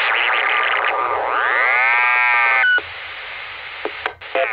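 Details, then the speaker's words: Chicago 462.550 MHz GMRS repeater keyed with a 114.8 PL instead of its 156.7 primary tone: after unkeying, a loud piercing squeal sweeps up in pitch, holds, then cuts out; it is set to squeal at that wrong PL. "this repeater actually has something set on it to where if you try to key it up with a one fourteen point eight PL it will put out an obnoxious busy tone and then when you untii the mic it'll make a really obnoxious squeal"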